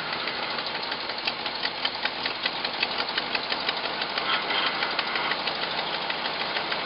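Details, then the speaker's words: Hot-rodded Jeep J-7 rock crawler, V8 with an Edelbrock intake, first real run, cold idle, 55 psi oil pressure: sharp fast ticking over the exhaust note, steady at idle, from a terrible exhaust leak; the idle itself is good. "exactly got a terrible exhaust leak let it warm up i guess i should have checked the oil huh i didn't even do that idle's good boy that exhaust leak is terrific"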